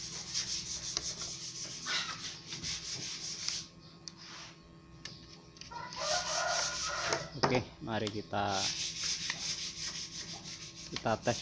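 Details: Wood planer (mesin serut) that had vibrated heavily and run loud because of a cracked part, after repair: repeated rasping cutting passes over a steady motor whine, no knocking or rattle; planer now cuts smoothly.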